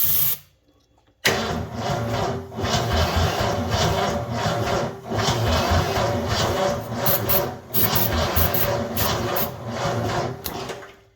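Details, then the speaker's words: 1984 Ford F250 Bullnose 460 V8, all plugs in, timing set roughly, temporary wiring awaiting correct solenoid; sluggish, uneven starter churning under two turns a second without catching; slow cranking from poor positive and ground battery connections. "So, positive and ground are both very unhappy, which I'm not super surprised about because, well, neither of them have the best connection with the way that this is being done."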